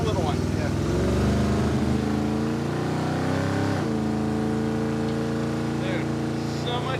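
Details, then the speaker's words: Junkyard 1957 Chevy just fitted with an ATI off-the-counter distributor; revs cleanly and holds an even beat with no stumble, much smoother, before it later shuts off. Normal running. "smoother now. Sounds great."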